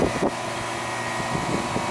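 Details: 2008 Ruud R22 AC condenser, thermostat turned down so it keeps running, before gauge check: steady, even fan whir with faint constant hum, no rubbing, ticking or wobble; condenser fan normal.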